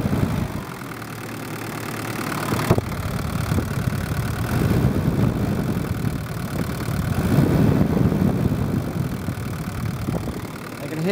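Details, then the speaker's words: Daihatsu DL turbo diesel during injector pump fuel tuning: clatters up on the throttle, then revs sag back only slowly after release, so the screw is wound back a touch, and it still hangs. "there the engine started to hang a little bit and take a little while to drop revs back so I'll just wind it back a touch still hanging a bit"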